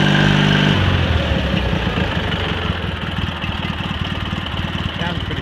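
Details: Cub Cadet 782 garden tractor fitted with 42-inch snowblower: steady, even single-cylinder putter at low idle, no knocks or misses, settling smoothly; normal healthy idle.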